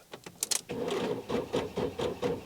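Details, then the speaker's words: Car that sat unused for about a month: turning the key gives very slow, labored cranking that fades into rapid light clicking. The battery is completely drained, too weak to start the engine, before a jump pack is used. "Very, very slowly, and then that's it. Nothing else happens. And then now it's just clicking. So as you can see, the battery is completely drained."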